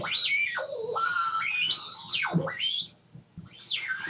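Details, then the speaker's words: Homebuilt FET-based AM radio tuner with a long-wire antenna: a high whistle glides up and down in pitch and jumps between notes over a faint hum, and stations are barely audible. The whistling changes with supply voltage, indicating unstable oscillation. "what do i do about all this whistling noises that it's making and this project is pretty much grounded until i can get that sorted out the strange thing is if i adjust the voltage is getting that also affects it"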